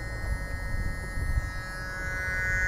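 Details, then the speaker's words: Diesel idle rumble with a faint steady electrical hum from the fuel solenoid valves, triggered when a faulty Bosch common-rail pressure sensor feeds 5 V on its signal pin, reading 1800 bar, a critical pressure. "buczenie nie wiem czy wy słyszycie to buczenie Ja w każdym otwierać bardzo dokładnie to jest buczenie pijackie jest to buczenie elektrozaworów które pojawia się w momencie osiągnięcia wartości krytycznej przez układ paliwowy"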